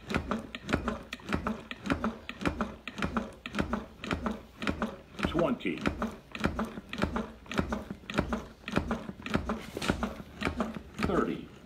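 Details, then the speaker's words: AED/CPR trainer after shock delivered: steady crisp clicks at about 100 per minute in a quiet room, a metronome pacing 30 chest compressions before two breaths; working normally. "do you hear that clicking sound yeah that's telling me the rhythm to go up and it's gonna tell me when to stop again"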